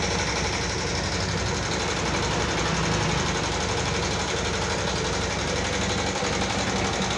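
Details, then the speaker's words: 2014 Yamaha Jupiter MX carbureted scooter, complaint of rough-sounding engine, running: busy, rough clatter of fast light ticks about four a second; ticking top end, cause not yet diagnosed. "Oke teman-teman sudah mendengarkan sendiri suara kasar pada motor Jupiter MX karburator ini yang akan mekanik bengkel kerjakan. Seperti apa suaranya, ngeletek-ngeletek, kletek-kletek, seperti itu ya teman-teman ya."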